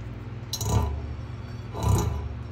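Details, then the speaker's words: Vintage British motorcycle front wheel spun by hand: two soft scrapes about a second apart as the out-of-true wheel's tire rubs the fender and stops it; wheel to be pulled and taken to a tire shop for truing. "right now what's happening is it's actually rubbing the tire is rubbing do you see how it stopped right there i'll give it a spin see that it's rubbing the fender"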